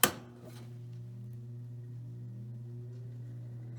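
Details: 1967 GM Frigidaire 6000 BTU window AC, started on fan then switched to cool: sharp click, then smooth steady low hum settles without straining or rattling; healthy startup.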